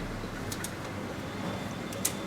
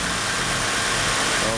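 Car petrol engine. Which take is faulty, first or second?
first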